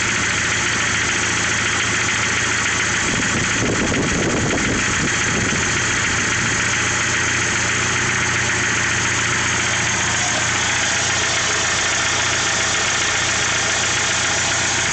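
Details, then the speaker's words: 1995 Jeep Wrangler YJ, 2.5 L, 128,000 miles, 5-speed manual, at cold idle: a fast, light, uneven tapping of about three to four a second. The owner suspects piston slap; the noise lasts until about 210 degrees operating temperature. "I think it has piston slap because when I first started up when it's cold I get a knocking noise I'll start it up for you guys"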